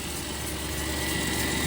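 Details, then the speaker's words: Engine idling after an intake manifold gasket replacement while the coolant is being refilled and burped: smooth, even idle with no misses, knocks or hiss. Belt slightly squeaky, suspected from coolant on it. Running normally. "Engine sounds good. Belt's a little bit squeaky, but it's probably because I got some coolant on it. But she's running good."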